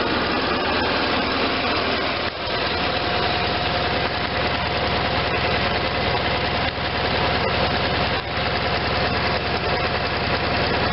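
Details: Case Ingersoll 448 hydriv garden tractor with twin-cylinder Onan engine, running after installing a fully rebuilt N46 mower deck with a new belt: steady drone and constant deck whir, no slapping or squeal; everything sounds good, belts tracking well.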